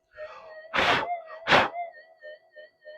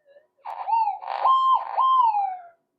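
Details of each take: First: Minelab SD2100 LC oscillator, coil skewed off centre, volume turned up: steady tone with 50 Hz pulsing that wavers and slides in pitch when a hand is waved or air passes over it; oscillator drift. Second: Repaired Minelab SD2100 metal detector on cancel coil: clean warbling tone rises and holds each time aluminium passes near the coil, crisp and repeatable; detector works properly.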